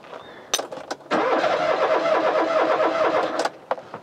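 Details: Rover 216 Cabriolet: the starter churns steadily for about two seconds with even compression beats, but the engine never catches. Fuel delivery is suspected after a no-spark fault from the king lead; the fuel gauge doesn't move, so the fuel pump was reseated.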